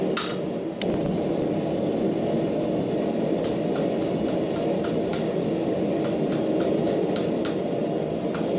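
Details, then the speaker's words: Counter-twisted cable being compacted in half-round swage block for cable Damascus: light hammer taps ringing sharp and firm rather than dead, showing strands compacting solid. "So what I'm trying to do at this point is just compact it just a little bit. You don't need to beat the hell out of it. You just have to squish it together to get it tighter."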